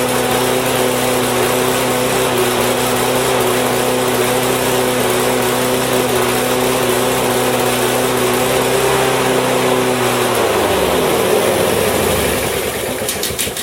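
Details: Husqvarna mower with Honda engine, fuel shut off to run it dry: small engine holds a steady, even buzz about ten seconds, then sags in pitch and dies as fuel runs out; healthy running.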